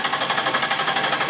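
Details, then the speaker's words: 1997 Jeep 4.0L, ASD relay removed to disable fuel and ignition for cam sensor test: quick even starter chatter about six pulses a second, never fires; cranking, no start (fuel and ignition disabled). "let me take this ASD relay out I don't want the the car to start we're going to simulate a no start and uh go ahead and crank it"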